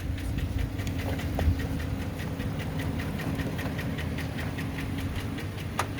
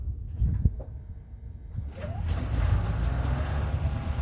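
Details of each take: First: Work truck diesel after AMSOIL treatment and 200 miles: the heavy knock is nearly gone, with slight timing-chain noise remaining, but the idle has uneven knocking pulses, a shaky, lumpy rhythm and rattle, a rough idle. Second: Engine that previously had a loud knock, believed lifter-related, now after 200 miles on AMSOIL: it catches and settles into a low, even rumble, the knock almost gone with a slight timing-chain sound remaining, running normally.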